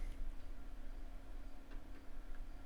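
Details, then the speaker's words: Floppy drive formatting a 720KB diskette: few light sparse head clicks over low hum, retrying on bad diskette reporting invalid media or track zero bad. "we can hear i can hear the the head's clicking a little bit it's probably gonna go through and"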